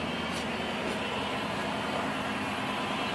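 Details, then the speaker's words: 2003–2008-era Chrysler Hemi, first start after fitting new cylinder heads (valve seat fix) and pre-lubing by cranking without plugs; quiet, smooth, even idle with no lifter tick; normal idle. "sounds pretty normal no lift or ticks or nothing Prelude took care of that"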